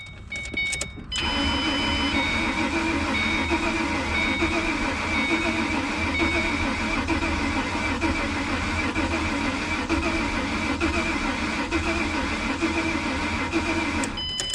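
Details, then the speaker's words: 2007 Ford Mustang V6, accident-totaled, reportedly sat a year, spark plugs cleaned, starter fluid added: starter turns engine over steadily for over ten seconds without a single catch; crank no start, cause unconfirmed. "guys this thing wants to fire I don't understand now we've got our spark plugs cleaned"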